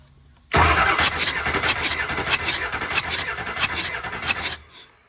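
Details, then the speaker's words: Compression test cranking on a Ford 7.3 Powerstroke diesel with a misfire, rough running and white smoke: quick, even starter cranking with a steady beat, cylinder 5 reading 375 psi like the first cylinder, normal compression. "It's 375, just like the first one. Do I even need to do the last one?"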